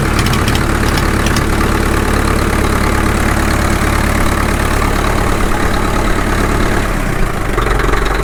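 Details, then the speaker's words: Caterpillar D2 #5J1113 diesel at low idle on first start after full pony motor and diesel engine rebuilds: deep, slow, even chug with no knocking or stumbling; sounds healthy, owner pleased. "that sounds good for a low idle if i kept it about attack all right pretty happy with it all in all"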